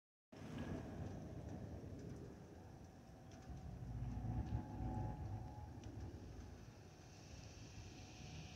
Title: Delta Airlines Airbus A319-114 N359NB DL1657 BOS-DTW (FOPP whistling sound)